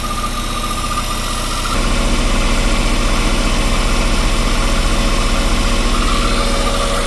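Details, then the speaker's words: Westerbeke marine diesel generator, slowly overheating after 45+ minutes, after a flush, warm and loaded, phone near the engine: even low pulsing thrum firming slightly, no knocks or misses; not super hot yet, heat exchanger checked for leaks. "Doesn't feel really getting warm, but she doesn't feel super hot. She'll shut down before she gets too hot."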